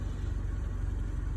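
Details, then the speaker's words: 2001 Honda Civic EX 1.7L just after fuel pump replacement (relays also replaced earlier): started right up and settles into a low, steady, even hum at idle with no surging, hunting or stumbling; healthy. "listen you hear that humming that's what i like it hums now got her in there she started right up"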